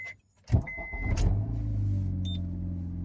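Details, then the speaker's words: Budget Honda Civic with 3M Window Weld motor mounts on a cold start. Starter cranks briefly, then the engine settles into a steady, even low idle with less vibration than expected. Normal cold start idle. "a little cold start here. It doesn't vibrate as much as I thought it was going to."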